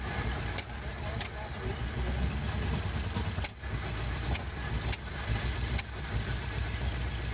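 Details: 1956 Ford Fairlane, first run in 15 years after new coil and intake/carb refitted: engine catches and stumbles briefly, then picks back up into an uneven, sputtering idle; running again.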